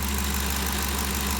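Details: 2013 Ford Expedition after valvetrain repair for loud ticking (suspected cam phaser or timing chain): steady, even idle with smooth low hum and no top-end ticking or tapping; noise gone, engine healthy.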